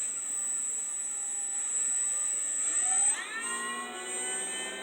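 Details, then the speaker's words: 3D-printed axial flux BLDC motor (8 magnets, 6 coils), first test on a sensorless Hobby King controller with batteries not fully charged: a clean, steady high whine that climbs smoothly with no scraping; normal running, more torque than the 4-magnet/3-coil motor. "this is first one vicious little thing isn't it oh definitely more torque than that other one"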